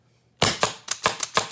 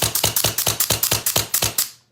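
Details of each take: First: Autococker paintball marker, LPR being adjusted in quarter turns; cocking rod not pushed back far enough, needs more pressure. Sharp, fast clacks about every quarter second sound soft and underpowered; LPR pressure too low. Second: Autococker paintball marker after timing and raising LPR pressure in quarter turns: about nine quick, dull, evenly spaced pops with no feed-neck slap; air now goes through the bolt down the barrel, firing correctly.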